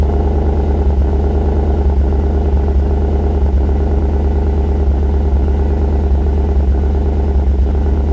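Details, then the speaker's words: 2013 Chevrolet Suburban with P0301 code, in drive with brakes held, slight throttle, microphone at exhaust: low thrum with a regular missing beat and flickering rpm; cylinder 1 misfire, spark plug possibly cracked. "i'm going to step on the gas just a little bit and you're going to hear it misfire if you look at the rpms you could probably see it flickering a little bit you could also feel it in the steering wheel"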